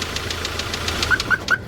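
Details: Diesel D4CB engine after break-in (run-in): sharp, regular ticks about six or seven a second over the idle, a distinct knock from inside the engine; cause suspected, not confirmed.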